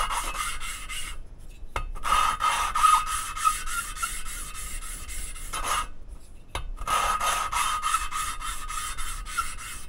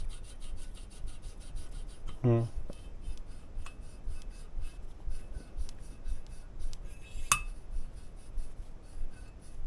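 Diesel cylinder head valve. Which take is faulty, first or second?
first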